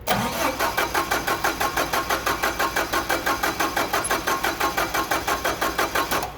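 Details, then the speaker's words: CAT forklift, LPG, basic EMCO system, cranking with the throttle plate held open: steady starter chug, about three compressions a second, never catching. A vacuum leak leaves too little vacuum to lift the mixer air valve diaphragm, so no LPG enters; hard start. "okay so as you can see there you have now a reading higher but it's not quite enough right to lip up the air valve of the um diaphragm and that's why you're having a heart starting issue because the the diaphragm is not lifting up and not allowing any uh lpg to go into the mixer"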